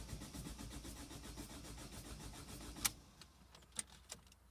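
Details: 2005 Ford Fiesta 1.5 TDCi diesel: starter churns the engine at a steady beat of about five pulses a second but it never catches, then just clicks and goes quiet; crank, no start.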